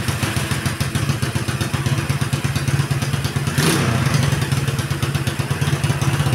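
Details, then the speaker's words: Keeway Superlight 200 after carburetor adjustment lowering idle from 2,500 to about 1,750 rpm: even low thumping, steady without hunting; normal idle. "I took it from Two and a Half thousand RPMs to one thousand and three-quarter RPM and this is just the sound that I'm going for right now"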